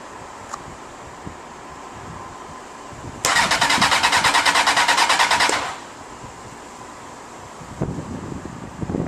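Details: 2007 Honda 919 motorcycle after some mods won't start: the starter whirs steadily for about two seconds with no firing, then silence; codes 12 and 14 indicate injector malfunction on cylinders #1 and #3.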